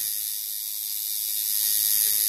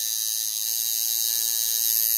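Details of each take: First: Coil tattoo machine after adjusting contact screw: steady, even high-pitched buzz with no stutter; sounds much better though possibly running slightly fast, tunable by lowering voltage; normal running. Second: Tattoo machine being tuned by ear: high, rapid thin buzzing, running too fast because the contact screw is set too far in; backing it out slightly improves the sound.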